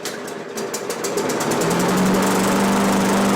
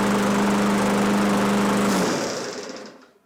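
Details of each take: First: Free Craftsman push mower that had just stopped running, spark confirmed, fuel primed into the carb with an empty gas tank: pull-start pops, buzzes steadily about three seconds, then sags and stops; runs briefly then dies from fuel starvation. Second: Free Craftsman push mower that had stopped running and had recoil rope issues, after repair work. The small engine holds a steady, even buzz for two seconds, then is shut off and coasts down smoothly; normal running.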